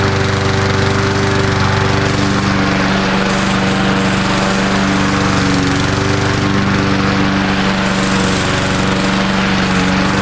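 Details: Murray Dynamark 22 mower, 3.75hp Briggs & Stratton, cold start on fresh gas after sitting unrun about seven years since 2009, smoking slightly: fast steady buzz at constant speed, no surging or knocking: normal running.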